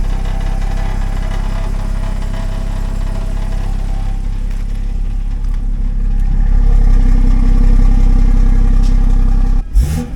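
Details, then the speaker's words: Jaguar X-Type 2.2 TDCi diesel, recently bled after failing to start: coarse tractor-like rattle that swells with revs, coming from the rear not the front; injectors possibly not cracked off enough when bleeding suspected, unconfirmed. "That's not the front. So, that is potentially a little bit more of a a better better sign. Yeah, definitely something at the back."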